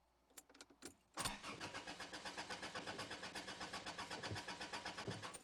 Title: Car Cranks, No Start